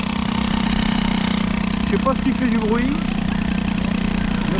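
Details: Two-stroke moped with BOOST cylinder head during break-in: loud, buzzy drone at fast idle with harsh edge; excessive noise, origin unknown.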